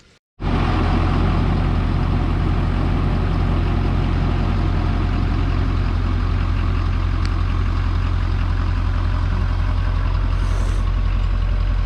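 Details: 2019 Ford F-250 King Ranch with a junkyard 2017 6.7 Powerstroke diesel swapped in to cure an engine knock, fresh fluids, warming up at first start: loud steady idle, even low rumble, no knock; normal idle.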